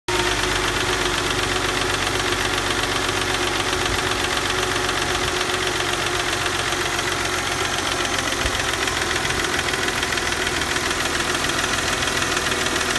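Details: 1997 Mercedes C240 with M112 engine at 160,000 km; it recently would not start without pressing the gas. At idle a rapid, uneven knocking clatters steadily over the engine note with no throttle, and the cause is unknown.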